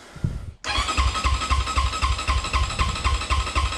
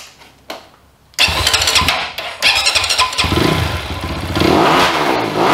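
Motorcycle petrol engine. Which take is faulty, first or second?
first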